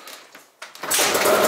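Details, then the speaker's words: Yamaha Zuma bugeye two-stroke scooter with Polini 70cc kit, started ice cold with no choke after a dirty, clogged carb was cleaned: short crisp buzzy burst that picks up and holds steady without stumbling; running well, normal. "no chokes baby this is seriously this bike is running so good right now"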